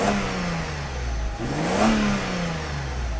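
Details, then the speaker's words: Mercedes W124 300E-24 after a fuel distributor repair and new injectors and spark plugs, idle steady at 900-950: a quick throttle blip with revs climbing and falling cleanly, smooth and even with no knocks; healthy engine. "That kind of sound when you accelerate quickly."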